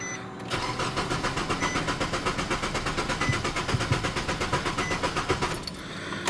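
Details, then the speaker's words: 2007 Nissan Sentra 2.0 L that suddenly lost power and died while driving, with fuel in the tank: steady cranking for five seconds after starting fluid, never catches. Points to a fuel supply fault; the pump is suspected. "it kind of sounded like it was about to catch i'm going to try one more time just with the camera down because that stuff dries so fast"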